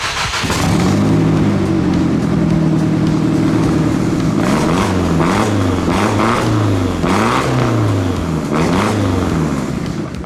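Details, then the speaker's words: Nissan S13 with SR20 turbo engine on a stock-style cast log manifold with a welded-on wastegate, warmed up and revved: lumpy idle, then blips rising and falling with a coarse, raspy, uneven drone. Sounds harsh before the swap to a custom manifold. "Right now it's just running a standard cast log manifold, which is like the stock one. It's got a wastegate welded to it and it sounds absolutely terrible."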